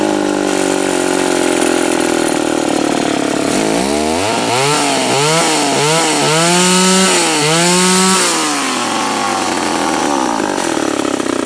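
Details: Remington SL-11A chainsaw after a duckbill valve was fitted to stop bar oil blowing back into the cylinder: two-stroke catches, revs up and drops back several times with clean even pitch and steady idle between; runs healthy.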